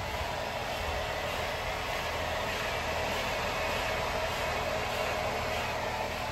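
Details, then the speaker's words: Jeep JL rear axle with new Revolution 5.13 gears, Ox locker, Yukon chromoly axles, seals and bearings: a steady, even grinding roar that persists with the wheels and a rotor off, so it is not the brakes. The owner later suspected the housing and replaced the axle. "still sounds terrible [Applause] still sounds terrible [Applause] sounds terrible no matter which way you look at it took the rotor off still making a noise"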